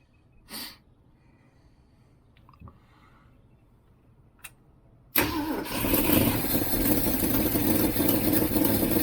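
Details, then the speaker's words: 1967 Ford Mustang 390 V8 just reassembled, carb float bowl refilled: catches after about five seconds into a rough idle with sharp puffing chuff from a huge exhaust leak; otherwise sounded not too bad. "Okay. Well, that's actually except for the the huge exhaust leak, that actually didn't sound too bad."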